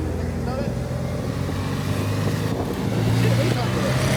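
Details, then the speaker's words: Renault camper van, diesel, manual clutch, crawling uphill in low gear on a long road trip; low strained drone slowly climbing as the underpowered engine labours under load, clutch smell noted, cause not confirmed. "Oh, this car is really groaning inside. Yeah, everyone in their new automatic cars just cruises up the hills. They don't think about us poor, underpowered idiots."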